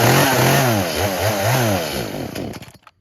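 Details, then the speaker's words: Traded-in two-stroke chainsaw with new bar and chain, busted primer, started on choke: surges up and down unevenly for a couple of seconds, then stalls. Choke made no difference. Suspected fuel issue (tune, dirty carb or bad diaphragms). Won't idle; dies after revving. "So yeah, definitely a fuel related issue, maybe a tune, maybe I need to clean out the carb, maybe the diaphragms are bad, but definitely have to address a fuel related issue on this one."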